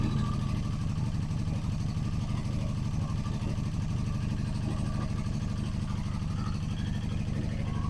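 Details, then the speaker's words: 1985 Honda Magna V30 V4 motorcycle, first start after carburetor rebuild and fuel system work: rough, lumpy running with fast, uneven, heavy valve clatter over the exhaust, worse when revved; one cylinder low on compression from misadjusted valves. "When you're close to the engine, it sounds like it's about to explode. Disgusting. It's valve chatter, but like valve chatter and then some."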